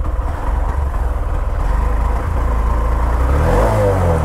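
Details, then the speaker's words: Honda SP 125 motorcycle at 16,000 km, before service: even low idle thrum, then a clean rise in pitch as it is revved in neutral; no ticks, rattles or weird noise; engine still smooth and silent. "और गाड़ी का जो engine sound है वो बहुत ज्यादा smooth है अभी भी एकदम साइलेंट है किसी भी तरह का वियर्ड नॉइस नहीं है"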